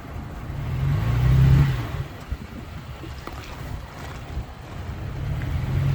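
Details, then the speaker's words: 2023 Toyota Tacoma TRD Pro rolling over a curb, windows down, fan off, microphone held out the window: soft low thump then only a low rumble, no clunks or rattles; quiet, healthy suspension. "Now, a curb is obviously nothing crazy, this being a TRD Pro, but I did that so you could listen to the suspension and see if you hear it doing anything weird."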